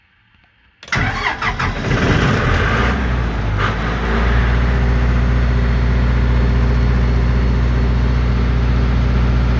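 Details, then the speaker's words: Cummins 40kW diesel generator with intermittent low-voltage fault, before voltage regulator board replacement; quick crank, fires at once into smooth steady governed drone, reading 60 Hz, 1800 rpm, 240 V: normal this time. "as expected it worked perfectly you know they came up it showed 60 htz which is 1800 RPM it showed 240 volts which is what this unit puts out"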